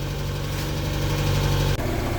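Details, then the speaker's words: Mk1 Mazda MX-5 with a 4-2-1 exhaust manifold, after clutch work and after running for a while: a steady, even low idle with no ticking or puffing. Normal warm idle. "As you can hear now it's been running for a little while."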